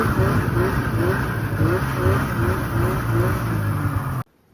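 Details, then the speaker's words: 1995 Polaris RXL 650 two-stroke triple snowmobile, sat outside about 8 years, previously locked up, first run on a borrowed small-engine battery: buzzy, steady, slightly uneven idle on its own, then cut off; normal running. "She's a runner now. It just seems like it needs a little grease in the track because, well, it's been sitting for 8 years."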